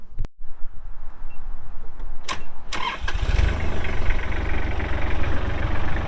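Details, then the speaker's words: Kubota L3240 tractor, 32 hp pre-emissions Kubota diesel, 4WD with LA514 loader, 94.8 hours: the starter cranks briefly, then the diesel catches and settles into a steady, even low idle with no knocks or misses; normal start. "Does start up and run very, very good."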